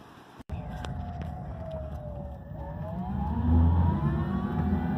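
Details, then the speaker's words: Enclosed mobility scooter on road after WD-40 applied to fix an earlier squeak: even motor hum under road rumble, faint whine rising and falling with speed, no squeak at fast, slow or through turns; running normally. "Beautiful day out in Bella, and I think I have solved the squeak. I haven't been out that long, but even going fast and slow, and I've kind of done some turns and shit, and yeah, I don't hear the squeak."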